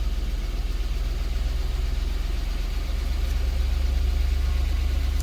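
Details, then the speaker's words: Duramax diesel during a DPF regeneration commanded with a Genisys EVO scan tool: deep, steady idle climbs slightly and holds a raised speed; normal elevated idle during regen. "We just cut it on, and you hear the engine is revving up."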